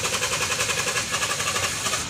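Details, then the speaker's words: Toyota Vios hard starting after sitting, mainly in the morning: fast even cranking goes on without catching, long crank; hard starting. "hard starting hard starting siya in yan sa umaga lang"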